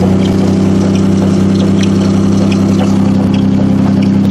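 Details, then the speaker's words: Demolition derby Honda Accord, sitting since October, first start on a booster pack: loud, low droning idle with an uneven, lumpy beat and loose knocks; engine running rough, and a motor mount is broken. "sound exactly healthy there oh oh that motor mount's broke too"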